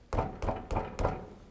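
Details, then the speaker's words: Four sharp clunks, one each time the tyre is struck by fist on a Lexus GX470, revealing play in a loose wheel bearing; the other wheel is quiet by comparison. "because this wheel have movement you can immediately hear it sometimes the movement is so minute that if you're doing it in a rush you won't feel it"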